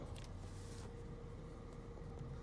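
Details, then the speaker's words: 1991 Mercedes 500SL before emissions testing, idle control valve hoses replaced and the valve cleaned, air pump audible: a quiet, even low idle hum around 600 rpm with no stumble or hunting; idling smoothly. "Mission testing look how low the RPMs are I mean they're uh they're right at 600 been cleaning out that valve really good taking the hoses off you really help it"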